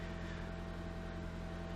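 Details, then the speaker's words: 1992 Honda Accord Wagon 5-speed, first start after five years sitting in a yard: loud, steady low drone with a rasping edge at idle, attributed to a large hole in the muffler. "so it starts it sounds like but it starts and that's probably has a lot to do with the giant hole in the muffler"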